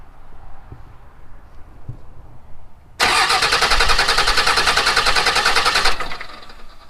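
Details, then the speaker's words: Salvaged Dodge Cummins diesel cranked with electronics bypassed during compression test on number 6 cylinder, injectors out; about three seconds of even rhythmic chugging with equal beats; good compression. "Well, there it is. Good compression."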